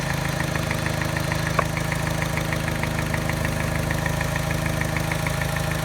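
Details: Mini petrol engine idling with a light steady tap about three a second and faintly uneven beat; mild tap coincides with very slight miss (not detected by scanner) causing vibration, disappears above 1200 rpm; persists after timing chain, tensioner and piston rings replaced.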